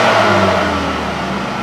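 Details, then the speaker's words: 2011 Ford Escape 2.5 that had stalled at a stop sign and wouldn't keep running. After a dead mouse and debris were removed, the engine pulls cleanly and settles into an even, steady note with no stumble, and it no longer stalls. "Did we fix it? Oh, baby, runs now."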